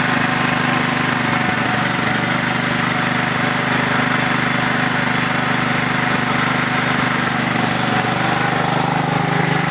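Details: Craftsman LT4000 lawn tractor, single-cylinder engine on two-year-old gas without stabilizer, carb still needs cleaning: rough running with a quick steady tick of about three or four a second; ticking the owner thinks is the valves, not confirmed.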